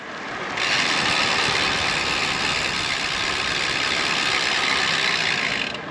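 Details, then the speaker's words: Bicycle freehub after rebuild with a new freehub and new axle and hub bearings, following busted ratchet springs: fast, even, high-pitched ticking while coasting with no skips, a normal freehub ratchet click. "there's a nice click to it which is the ratchet working cuz it was The Springs in the ratchet that had busted which is probably what I heard"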